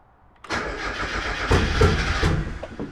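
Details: Petrol engine with newly installed GT2560R turbo and TDO Performance manifold cranks in uneven pulses, roughly three a second, but never catches; later suspected misfiring on one cylinder, battery dying.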